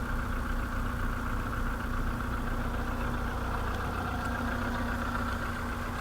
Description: Стук поршневой двигателя CFNA. VW Polo седан 2013 г.в. 192000км